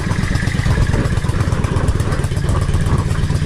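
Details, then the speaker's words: Yamaha XVS650 Dragstar/V-Star 650, warm, at about 1000 rpm idle after tuning: 22.5 Mikuni pilot jet (was 20), 120 main, needle 4th slot, slide spring cut 2 coils, pilot screw 3.5 turns out, K&N filter. Deep, steady, even thump, no hunting; normal idle. "and the bike doesn't sound like it's struggling. That sounds fantastic. It really, really sounds like it's got a little bit more purpose."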